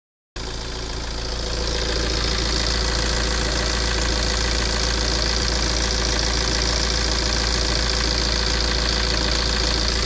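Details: 9-year-old Tata Safari Dicor 2.2 diesel, well maintained, idling with even steady clatter: healthy, no back compression, hunting, misfire or knock.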